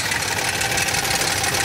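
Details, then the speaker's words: 2007 Toyota Tundra 5.7L 3UR-FE V8, 205,000 miles, cold start idle: fast, even metallic chatter from bank 1 that only sometimes occurs and fades once warm; failed hydraulic timing chain tensioner suspected, not confirmed. "and only sometimes this side of engine is making this noise listen to it it will apparently disappear after a while and then it will not come"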